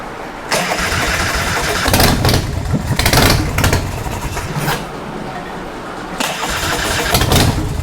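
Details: American Ironhorse Texas Chopper V-twin, revived after sitting for years, oil coming out of the air cleaner: fires up with a rough uneven lope, surges and sags a few times, then dies as it runs out of gas.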